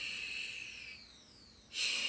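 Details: Google Home Mini, set up months earlier and left unused, suddenly emits a soft breathing-like hiss that rises and fades, then a sudden loud hiss burst; spontaneous speaker glitch of unknown cause.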